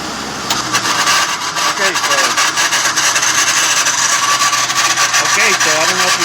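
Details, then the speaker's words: 1995 Jeep Cherokee 4.0 L six-cylinder with about 240,000 miles, idling with a harsh, steady metal-on-metal scraping rasp. Visual inspection found the idler pulley bearing gone, fixed by replacing the idler and serpentine belt: failed idler pulley bearing. "can hear that noise but it sounds like uh metal to metal"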